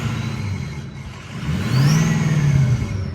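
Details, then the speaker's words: Ford 6.0 diesel with KC 11-blade turbine wheel turbo: deep diesel rumble with thin, quiet whistle climbing as engine picks up; quieter than 9- and 10-blade, slightly louder than 13-blade, healthy turbo whistle. "And then you got the 11-blade. It's kind of quiet. It still whistles a little. It's there. It's just not there. It's not loud."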